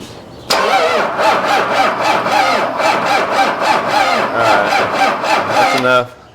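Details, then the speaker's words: 1993 Dodge D350 Cummins turbo diesel abandoned 18 years, hot-wired first start with weak cranking power: runs about five seconds with uneven, lumpy pulses around four a second; owners suspect one cylinder misfiring. "one of those cylinders is messing up huh I think one of those cylinders is messing up"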